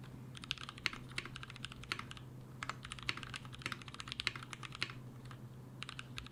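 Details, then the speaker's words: Mechanical keyboard switches lubed with a T2+T3 mix of Brazilian laser-printer fuser film sleeve grease, a possible Krytox replacement; fast, even, soft, consistent typing clacks with no scratch or ping, smooth and well lubed. "alright guys I think we did find a replacement it feels like it was lubed"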